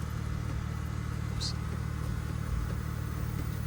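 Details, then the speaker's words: Newly acquired project car after new parts including a CV axle, test drive: in neutral no noises, in drive only a low steady engine and drivetrain hum with no whine, clunk or grinding; everything sounds healthy. "Neutral, no noises. Drive. Nothing really. You can hear the drivetrain."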